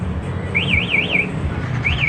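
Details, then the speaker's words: Yamaha R15 V3 with a newly installed MP one-way anti-theft alarm, armed: starting the bike sets off a loud warbling siren rising and falling about four times a second in two bursts, and the engine cannot start; immobilizer working. "nggak bisa hidup sama Tika ketika dimatikan dia akan mati suaranya aja tapi stand by lagi ya Kalau saya bobok lagi dia akan bunyi lagi"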